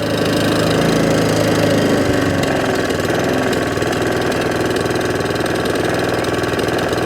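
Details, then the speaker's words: Allett Kensington cylinder mower, Kawasaki FJ100 engine, after carb, fuel tap and fuel system clean for hunting and surging: steady even idle, smooth at low and high revs, no hunting or surging. "running has absolutely sweetened up as the very first day is manufactured"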